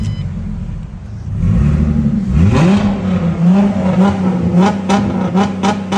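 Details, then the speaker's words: 2006 Ford Mustang with no-crank, no-start and CAN communication error, after both relays and fuses were replaced: engine catches about two seconds in and settles into a steady, even hum with a light rev. Now starts and runs cleanly. "तो माशा्लाह हो गई है start clear हो गई है"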